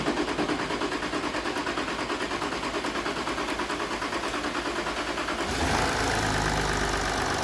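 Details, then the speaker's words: Jaguar XF S 3.0 diesel after fitting a new injector washer and seal: even, steady idle about three beats a second; some ticking expected at start, but the earlier chuffing leak is gone. "That sounds alright, though, That's 100% better. I think that's fixed it."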